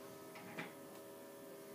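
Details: Essential oil diffuser switched on, volume set to high, 5-hour timer: faint steady low hum with an even, unchanging tone and one light tick; running smoothly as it should.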